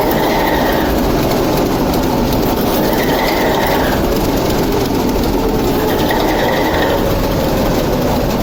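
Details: TEP70 0237 locomotive V-16 diesel on its first start after repair: loud, constant heavy roar with an even beat, no knocking or misfire; normal running.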